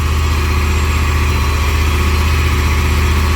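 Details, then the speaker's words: Jeep Grand Cherokee V8, single catalytic converter, held around 2,000 rpm with a misfire: uneven stumbling exhaust beat, unburnt fuel heating the cat to about 560–570 post-cat vs 415 pre-cat; engine misfire. "so now that the Jeep is running at a higher RPM with more unburnt fuel and running even hotter than uh it was at idle and thought you could smell it too"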